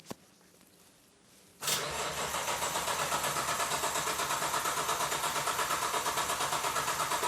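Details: Nissan RB26 GT-R engine in a 240Z on its first start, no exhaust fitted, oil pressure confirmed: the starter churns about three beats a second but the engine never catches; crank, no start. Owner suspects the untouched map and too little throttle opening.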